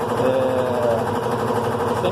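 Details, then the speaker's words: Recovered washer after full maintenance and a replaced gearbox (câmbio) that fixed a noise at the end of spin: smooth, even hum at steady pitch, no knocking or grinding; spin runs normally. "Ela agora já vai terminar de centrifugar e vai desligar, né? Ela está aqui, vocês podem ver, ela está na centrifugação."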